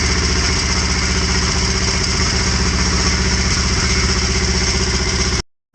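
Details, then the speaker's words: Kawasaki Vulcan 1500, crashed bike, first start cold on choke: fast, lumpy but regular V-twin beat, no knocks or rattles, then it cuts off; healthy start, sounds better once off choke. "might do that again because it sounds a bit better now without the choke"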